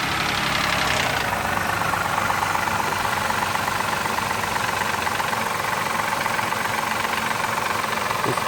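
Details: 2003 Mazda 6 3.0 V6 at about 164k miles, recently resealed oil pan and filled with 10W-20 instead of 5W-20: irregular light knocking about four taps a second over steady idle, quiets at high revs; owner suspects lifter or timing chain.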